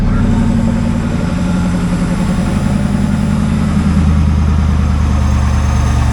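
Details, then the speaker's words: 1995 Chevrolet Corvette C4, 5.7L LT1 V8, 4L60E automatic, 63,000 miles, with oil pressure showing: deep, even V8 rumble holds steady with no knocks, misses or ticks; healthy idle. "I'm sorry, 63,000 miles on it. She runs, getting some oil pressure."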